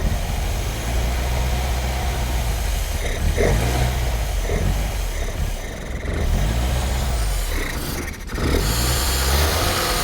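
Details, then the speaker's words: Mk1 Ford Fiesta Super Sport barn find, parked about 20 years, gravity-fed fuel, warming up, running only with throttle feathered and dying on choke: ragged, wavering idle with sags but holding on; much better, probably just blocked up. "That's better than it was. That's a lot better than it was. It's probably just blocked up. Just needs a bit of love."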